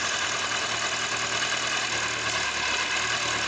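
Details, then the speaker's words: Kawasaki ZZR1100 D, cold, with the replacement fuel pump: a steady, hissy idle with an even hum underneath and no stumbling or misfire; the earlier bad cold starting was caused by the fuel pump. "It was the bloody fuel pump that drove me crazy, but it drove me really crazy, huh?"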